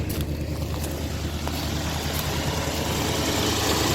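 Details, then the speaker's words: 1957 Lincoln Premiere V8 just restarted after six months unused, idling smooth with a faint light tick on top; owner says ticking is usual at first start after long storage, likely dry valves or lifters. "we are ticking away if you guys can hear it but it sounds pretty smooth right now"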